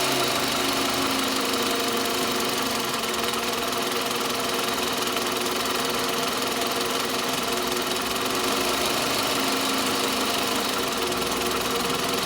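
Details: Toyota Camry 40 with 2.4 engine running steadily: a fast, uneven, light ringing knock at about three per second, always present, near the alternator; engine knock, source unconfirmed.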